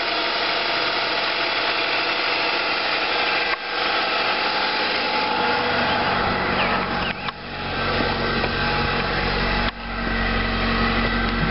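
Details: Car engine running with a thin, high-pitched whine sitting steadily over the idle. Cause not pinned down.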